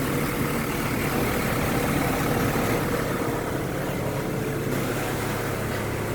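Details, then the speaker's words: Mitsubishi 4G63 engine at idle after repair: it had been misfiring and shaking at light throttle, and the fault was the water temperature sensor. Check engine is now corrected, and it starts on one click and idles quiet, smooth and even with no miss. "Ito na yung andar niya. Tahimik na. All goods."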